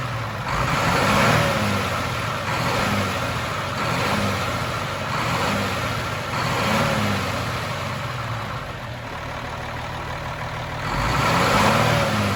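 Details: Cummins M11 diesel semi truck after priming/bleeding the fuel system following new fuel lines: steady idle with a few clean revs rising and falling, no stumbling or hunting; revved to get fuel flowing, air bubbles gone.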